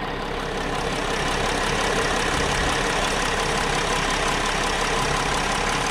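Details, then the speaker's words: 2010 Mercedes Sprinter diesel at cold idle before warm-up: a steady, even diesel clatter with no heavy knock or misfire. It runs okay, though a slight, out-of-the-ordinary ticking is noted on one side. "guys as far as the way it's running it sounds okay to me"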